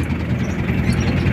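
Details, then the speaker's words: Chevrolet K5 Blazer fitted with a Mitsubishi 4D56T turbodiesel, after re-setting to fix low power, misfire and limp running; started cold, oil-pressure sound present; steady, even idle with smooth low rumble, no stumble and no white smoke, engine healthy. "dan di sini mesinnya udah enak aman gak ada asap putih"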